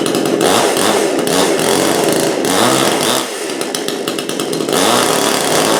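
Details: Brand-new Supmix 6250/6251 chainsaw that initially would not start or run. Loud buzzing two-stroke note rising and falling with throttle blips; the saw starts, revs cleanly and keeps running: normal running.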